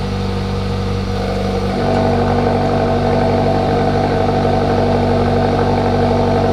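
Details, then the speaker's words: Hyundai Elantra GT / i30 N-Line 1.6T, first cold start after fitting XForce Varex valved catback exhaust, valve opened and shut with a large volume difference. Steady, strong idle with an even note that gets louder and fuller partway: normal cold start idle. "Okay, so there was you guys' first start. Of course, the valve was open, go figure, right? But it sounded good."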